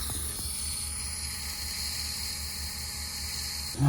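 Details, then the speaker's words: Smart 453 EQ with a brake system warning on the speedo; smoke test finds a brake vacuum leak near the master cylinder, heard as a steady high airy hiss with the microphone held close; the part needs replacing. "now stick your uh your microphone up here you'll be able to hear the hissing as"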